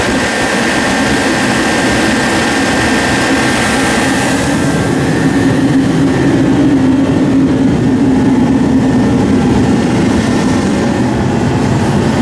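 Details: Forced-air diesel/kerosene heater after air/fuel pump repair, pressure at 12 psi, fuel two years old and suspected of holding water: constant loud roaring blast with a faint hum underneath, no real sputter; burning steadily.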